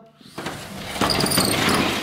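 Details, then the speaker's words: Glass sliding patio door that won't slide properly, being opened: rough scraping grind with bumps, louder along the run, and tight to close; worn door rollers, fixed by wheel replacement. "you can hear all those horrible grinding, bumping noises. When I try and close it, it's really tight to close."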